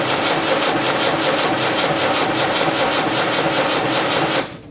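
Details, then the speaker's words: Land Rover Series 3 diesel, cranking with a little throttle and injectors loosened for bleeding: steady rough starter churn at about two and a half beats per second, never catching; no fuel from one injector. "um but there's absolutely nothing coming out of that one i don't get it i just don't get it"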